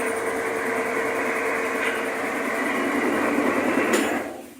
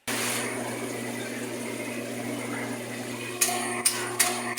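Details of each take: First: Magic Chef washer after its motor was rebuilt with new bushings (the old ones dragged): steady hum and churning swish on a large cycle loaded with blankets, running normally under heavy load. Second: Magic Chef washing machine: a steady electrical hum then four clicks as the motor stops and shuts off during spin/drain. Worn bushings keep the rotor from turning freely; the fix is new motor bushings.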